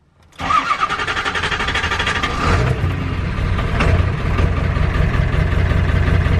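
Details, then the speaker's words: Ford Power Stroke diesel truck, first start after refitting the original cam position sensor and fitting a replacement injector driver module (IDM): catches after brief crank, then uneven lumpy idle that never smooths; runs terrible with this IDM, fine with another. "it's running terrible I don't think it likes this IDM"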